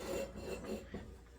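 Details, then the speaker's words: Abandoned Craftsman LT2000 riding mower engine turned over by hand: short dry scraping grind, something rubbing inside; owner suspects it is hitting something up top, maybe the coil, and also notes a noise from the pulley below; cause unconfirmed. "then I reached in and realized that the engine turns over it's got a grinding noise it's hitting something up here maybe the coil kind of looks like it"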